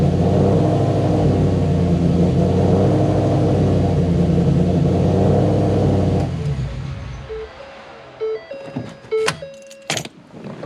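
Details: Cammed Whipple-supercharged Shelby started after installing two new Deatschwerks fuel pumps, with fuel very low in the tank; deep, strong, steady engine roar for several seconds, then winding down, running cleanly.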